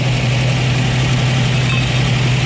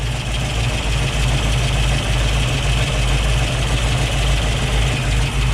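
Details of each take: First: 1965 Ford Mustang Fastback V8, 4-speed, headers, Flowmaster dual exhaust: engine not fully warm idling fast and even, too high; choke probably not engaging, so idle was raised; idle then turned down. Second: 1965 Ford Mustang Fastback V8 with headers and Flowmaster dual exhaust, idle turned down from too high while air cleaner barely warm, choke likely not engaging; now a deep, steady, even rumble, normal idle.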